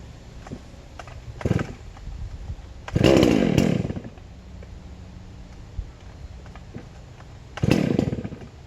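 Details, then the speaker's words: Ported big chainsaw (hypo 660 build) with home-made triple-port muffler: crisp quick revs snapping up and dropping cleanly to steady idle; real snappy, running healthy. "it's real snappy for uh with the port work and everything it's real snappy for a big saw sounds good"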